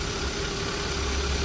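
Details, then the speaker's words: 2015 Hyundai Accent, abandoned 4 years, 70-something thousand miles, running again after a new belt and new radiators and condensers: smooth, even idle with a steady hum and no squeal or knocking. Normal idle. "So after all this work, we finally got the car running, man, and we finally got this car sounding good."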